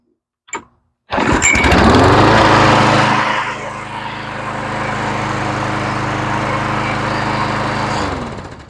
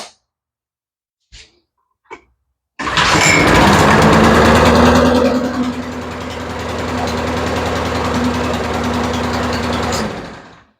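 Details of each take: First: Troy-Bilt mower with Quantum engine, run outside after carburetor rebuild and straightening a hanging-up choke lever: a pull, a catch, then a steady, even drone, smoother with no rumble; normal running. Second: Troy-Bilt push mower with Quantum engine, carburetor just rebuilt: after several pulls it starts but surges and thumps unevenly instead of holding steady; runs rough from a sticking choke.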